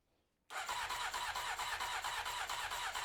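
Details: 1993 Honda CBR900RR, first start attempt, spark restored: starter churns at an even beat of about two turns a second and the engine never catches; no fuel is reaching it.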